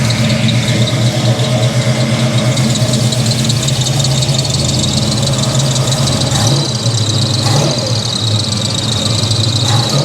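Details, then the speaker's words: 1983 Chevy C10 350 small block just after a Holley 4-barrel carburetor swap to fix backfiring: fast even idle drone, no stumble or popping, running clean but idle set high and needing to be turned down. "all right it's running we need to turn the idle [Music] down much more better"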